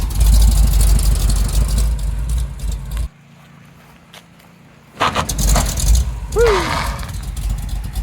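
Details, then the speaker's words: 1975 Chevrolet C10 being rebuilt, test drive after reinstalling brakes: rough scraping over road rumble and a brief squeal as it stops hard; one tire scrubs on that side, cause unknown, owner unsure whether it is locking up. "yeah that that one tire is scraping a whole lot on that [Music] side"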